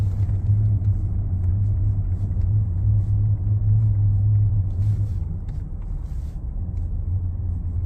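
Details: 2019 Ford F-150 Lariat 3.5, while cruising: steady low drone under the road rumble at a constant pitch. A front driveline hum is suspected, possibly the IWE, 4x4 actuators or front differential, but not confirmed.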